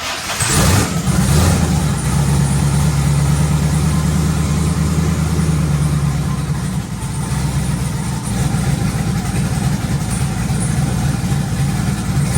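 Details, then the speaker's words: Twin turbo LS Camaro with forged internals after installing new 2000cc injectors: brief crank, then steady deep even burble with no misses; running smoother than ever, normal. "catching up listen to this running smoother than it ever has man good injectors make a big difference"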